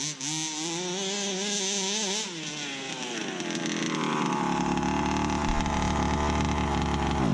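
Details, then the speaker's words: Rebuilt 29cc two-stroke in a Baja 5B RC car, driven on frozen ground: revs rise and fall crisply, then settle into a strong steady drone under load, pulling cleanly like a King motor; rebuild a success. "This is a 29cc, bruh. 29. This thing pulls like my King motor."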